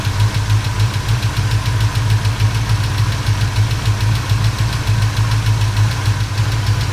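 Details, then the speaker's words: 1977 Chevrolet C10 V8 at idle after a short drive, following a broken rocker arm and valve lash adjustment with the engine running. Quick, steady tapping at about three beats a second, suspected to be a lifter or rocker on one side; not confirmed. "sounds like the lifter on this side or the rocker or something I was tapping away on this"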